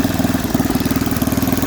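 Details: Snapper 8 hp 26-inch snowblower, first run with a mangled pull cord: a single-cylinder engine popping at a steady quick beat, even and unbroken with no knocks or misses; normal running, fairly healthy.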